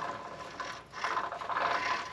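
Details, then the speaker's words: Jeep Grand Cherokee WJ rear axle, rotor off, hub turned by hand: gritty scraping rumble that swells and fades; owners suspect a worn rear wheel bearing, matching noise heard before, and new bearings are planned. "you think that's some of the sound we were hearing yeah i don't think it's supposed to sound like that i think this wheel bearing may be going something's not right"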